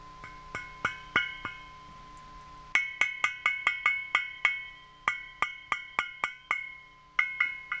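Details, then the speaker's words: Kendrick power tube on homemade audio tube tester, 400 V plate, about 18.2 mA, gain near 34: repeated sharp ringing pings around 1–3 kHz decaying over faint hum; slightly microphonic, probably acceptable in circuit. "this is the Kendrick it's a little microphonic but probably not too bad in a actual circuit"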